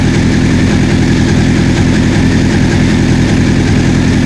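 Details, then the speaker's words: 1984 Honda CB700SC four-cylinder, first run after fixing a no-spark fault, warm: even, steady idle with no misses, knocks or ticks; exhaust smoke clearing, no carb leaks, owner thinks carb sync may not be needed; healthy. "smoke is clearing out of the exhaust heads are sounding good I don't see see any fuel leaking from the Cars I might not need a synchron ice though man it sounds good got to keep warm"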